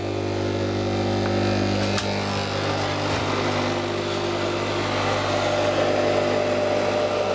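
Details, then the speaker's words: Crompton Parkinson electric motor running on mains: steady even hum, no rumble, grind or knock; runs nicely, good bearings. "Runs quite nicely. Love that sound. Good bearings."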